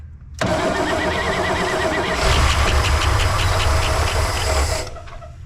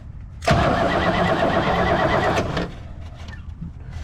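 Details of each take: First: 1964 Oldsmobile 98 V8, first start after years sitting, old fuel, fuel poured into carburetor bowl: starter cranks, engine catches and runs a few seconds at about 600 rpm, dies when poured fuel runs out, then refires and runs. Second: 1964 Oldsmobile 98 V8 with points ignition, revived after years sitting: steady starter cranking about two seconds without firing, then stops; no spark because the coil wire was left disconnected after distributor work.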